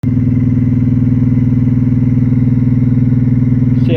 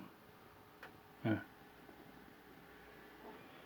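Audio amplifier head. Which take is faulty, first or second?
first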